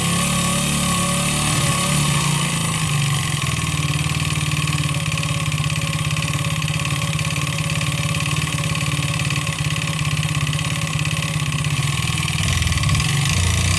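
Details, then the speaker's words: 139QMB 50cc scooter engine with piston skirt ground shorter and cylinder honed for excess clearance, run at fast idle during a two-hour test; loose hollow rapping on the engine beat; deliberately induced piston slap. "Patrzcie jakie to ma luzy więc na pewno usłyszymy ten dźwięk setup i sprawdzamy jak brzmi Piston Slap"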